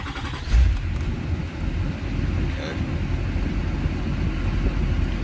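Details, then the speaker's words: Chevy Silverado/Sierra after repositioning the ignition switch to fix 4WD service, ABS light and blower faults: starter cranks briefly, engine catches and settles into a steady, even low rumble; owner heard the starter hang up slightly and may move the switch one more tooth. "sounds like I might need to go one more tooth because I heard starter hang up a little but it is running"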